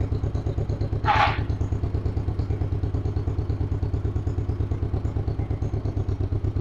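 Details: 1958 John Deere 420W two-cylinder tractor, cold start, warming up after stumbling a little; even putt-putt about three beats a second, one brief early clatter, then steady: normal idle.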